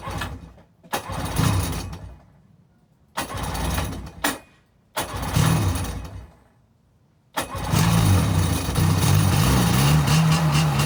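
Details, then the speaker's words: Sea-Doo jet ski startup right after installing two new spark plugs and refitting coils: three short cranking bursts, then it catches and settles into a steady, even run with no misfire; starts pretty good, new plugs probably helped. "That's how she sounds. She starts up pretty good, but with the new spark plugs, probably helped it out."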